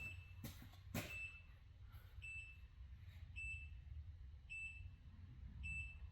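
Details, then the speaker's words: Polaris Xplorer 400 4x4 ATV, non-running, jump pack left connected: short high beeps about once a second over a low rumble; jump starter warning it was left connected and on. "What's beeping? Oh, you left the fucking jump pack on."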